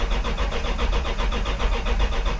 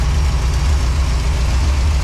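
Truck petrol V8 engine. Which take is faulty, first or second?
first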